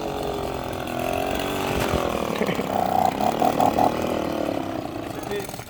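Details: Two-stroke blower that had become progressively harder to start, after cleaning and repair: small engine buzzes at fairly steady speed with slightly wavering pitch; starts and runs normally.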